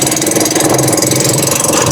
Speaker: Ay, kailangan ayusin to guys. Pwesto muna tayo sa taas. Kasi hindi pwede na ganito yung tunog niya.